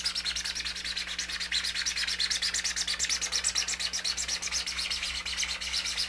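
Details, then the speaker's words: Hand-sanding a smooth 3D-printed observation deck (Apogee Nebula ST rocket kit) with 220 grit: quick back-and-forth scrapes about three a second with a thin high whistle; the part isn't flat yet, keep sanding until the whistle goes away. "You can hear it, kind of a whistle type sound. Keep sanding until that goes away, and then you know it's flat."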